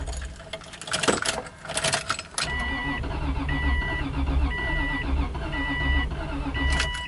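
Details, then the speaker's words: 2004 Subaru Legacy Outback, crank but no start, heard from inside the car: starter churning steadily at one or two pulses a second with a repeating warning chime, never firing; owner suspects the battery, unconfirmed. "It wants to start so bad, right?"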